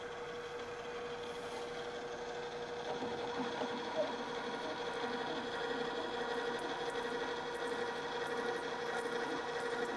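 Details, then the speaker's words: Drill press after engaging the transmission's lower speed range for a large drill. Quiet, even hum with a faint steady tone and no judder through the cut: slowing the spindle eliminated the chatter. "and this has eliminated the chatter"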